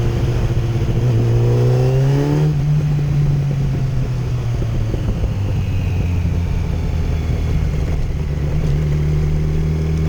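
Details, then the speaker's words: 2008 Yamaha FZ1 accelerating smoothly through low revs after ignition coil replacement, no stutter; before, it stuttered, misfired and hesitated under 4000 rpm; fixed by testing and changing coils. "swapped out the coil now she rides like a dream"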